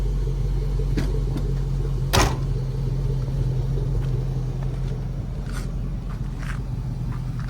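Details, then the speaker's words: 1965 Ford F100 on a Crown Vic frame with a bone-stock 5.3 LS swap, newly running: low, steady, quiet rumble with soft lope, no knocks or ticks; normal healthy V8 idle. "but it's not a obnoxious but once you whip the throttle it does have a sound to it and like I said that's literally just a bone stock 53"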